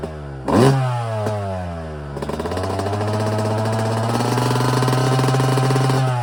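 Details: Yamaha YZ250 two-stroke, first start after frame-off rebuild with complete top end, carburetor rebuild and new Pro Circuit exhaust: crisp catch after brief crank, blips and settles into a steady, clean crackling rev with no knocks or misses.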